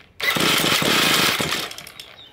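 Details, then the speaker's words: Ryobi ES30 two-stroke string trimmer, carburetor mixture screw unscrewed fully out: rough, ragged burst of firing that sags and dies within about a second and a half; mixture far too rich, engine cannot keep running. "if this is the case the engine cannot start that means that the mixture is too rich and we're putting too much fuel and we're pushing the engine to try to burn that very rich fuel and he struggles to do that"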